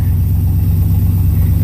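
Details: 1981 Pontiac Trans Am 4.9 L 301 Turbo V8 just converted to FiTech EFI: deep, steady rumble with even pulse, no misses or knocks; normal smooth, settled idle.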